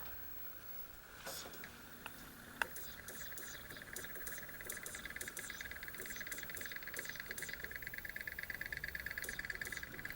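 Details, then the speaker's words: Pioneer LaserActive playing a Rondo of Blood disc before any cleaning: fast, uneven light clicks about three per second as the drive jumps back and loses its place; it skips but still reads. Owner suspects dirt, unconfirmed. "Sounds like it's skipping. All right. Wow. Is it reading?"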